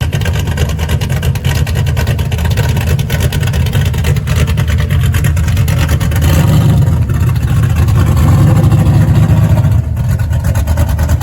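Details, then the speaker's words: Very healthy small-block Chevy nicknamed the rocket, before leak-down test; deep, throaty V8 burble climbing cleanly when revved and settling back smoothly, no misses or knocks. Normal engine revving. "Uh it's pretty violent. There's a reason why we call it the rocket."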